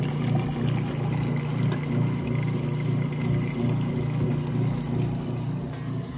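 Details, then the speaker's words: Kenmore direct-drive top-load washer moving from wash to rinse, in neutral drain mode before the spin: a steady low hum with gurgling water rushing out, even and unbroken. The drain pump empties the tub fast and normally. "It's gonna kick that drain on here in just a sec. Here we go. You can hear it draining that water out nice and fast."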